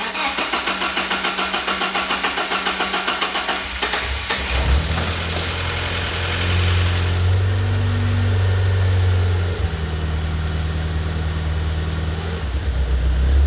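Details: BMW E36 touring, first start in six months after re-gasketing the engine, no exhaust fitted: a few seconds of cranking then very loud raw running with a deep barking bass idle; would not rev as something was left unconnected.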